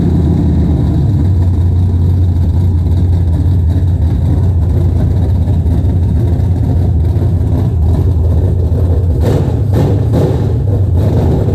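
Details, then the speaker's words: BMW E36 with LS V8 swap, headers, open straight pipes with no muffler yet: loud, deep, even V8 rumble settling into a steady lumpy idle with a few throttle blips; sounds healthy, normal idle. "yo that is sick this thing sounds so freaking good ready to start driving this thing"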